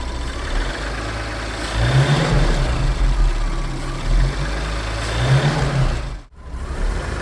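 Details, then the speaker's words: Audi B9 S4 with the EA839 3.0 L V6, shown as the healthy reference against an engine with worn cam followers. A smooth, even low rumble with no ticking or knocking on top: normal idle. "And this is an Audi S4 V9 with the EA839 3 L V6 engine. And this is what it's supposed to sound like."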